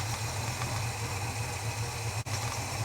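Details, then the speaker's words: Holden HK on a cold start, not yet warmed up, after adjusting spark plug gaps: low, lumpy idle that never settles, rough; owner suspects mixture screws set too far out and worn metering block O-rings or washers. "he's dialing really rough not quite warm hasn't warmed up yet"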